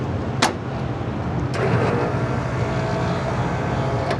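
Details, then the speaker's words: Walk-in freezer scroll compressor running after repair, direction being verified; steady low hum with even, unbroken run and a couple of stray clicks; sounds normal, next step is testing that the defrost contactor closes. "Sounds normal to me. We'll get it froze down some, and then we will uh test to make sure that the contactor closes for the defrost."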